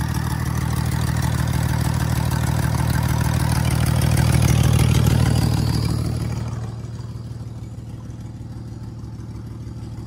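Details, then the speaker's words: Ford Falcon AU with 237,000 on it, idling rough: a lumpy, uneven thump about three beats a second before settling quieter; misfire thought to be an oil-fouled number six spark plug, with new plugs then fitted. "I don't know why it's running a bit rough but I'm pretty sure it'll sort itself out be something basic probably a lead or a plug all right so a Miss update Jack thinks it was what number six yeah that plug was oily the plug was oily as [ __ ]"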